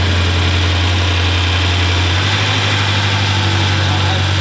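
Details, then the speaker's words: Salvage 2018 BMW M6 with front-end damage, on its first start after purchase, idling through a side-dump exhaust: a deep, loud, steady drone with no misses or ticks. Normal idle; it is just a loud exhaust. "we gotta actually run it for a couple of seconds because you hear what it sounds like here it sounded cuz we got a side dump exhaust wow dude that sounds beautiful"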